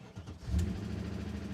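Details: 2003 BMW E39 M5 salvage car, after reseating the battery positive cable when it would not crank: brief crank, then fires with a sharp burst and settles into a steady idle; clean start.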